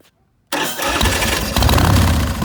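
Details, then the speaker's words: 2006 Big Dog Pitbull Pro-Street custom chopper motorcycle with 3,993 miles, fired up. Silence, then the starter catches and a deep, loping V-twin rumble settles into a steady idle with throaty blips; runs clean and healthy. "And we'll go ahead and fire it up for you right now."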